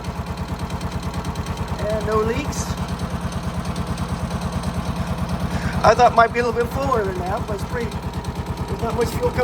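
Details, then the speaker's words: John Deere CX Gator small petrol engine after oil, air filter, fuel filter and spark plug service, checking the fuel filter for leaks: even steady putter with no misses or knocks; runs smoothly. "through that mid filter that sounds good everything looks good"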